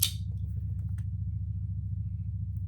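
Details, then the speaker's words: Pietta Colt 1860 Army revolver after fitting a new hammer to fix a broken cam, in a function test. The trigger is pulled from full cock and the hammer drops with one crisp snap. Normal release, working exactly as it should. "That's exactly how this thing should work."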